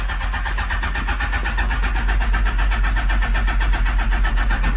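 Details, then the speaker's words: Smart car with Phaser 1000 motor swap, cold start in neutral after fuel pump priming: starter switch stuck on, constant starter drone with steady cranking beat; smells flooded, starter stuck engaged. "so the starter switch got stuck on I don't know what happened but it smells flooded now"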